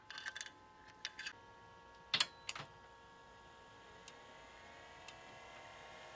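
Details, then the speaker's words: DLP rear projection TV color wheel motor reinstalled after soaking, near a UV-damaged connector and wiring: faint thin whine that wavers and creeps in pitch, worse than before and failing to regulate speed; may be unrepairable. "out nope that sounds worse than it did before it seems to be having problems uh regulating the speed as well"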